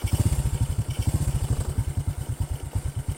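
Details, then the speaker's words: Overhauled Honda Karisma single in a final test before return to its owner: an even low putting at about nine beats a second with no knocks or stumbles. Normal, stable idle with no rough sound. "Oke saya rasa tidak ada masalah untuk unit ini sudah benar-benar ready untuk suara mesin tetap stabil dan normal tidak ada perubahan suara intinya tidak kasar"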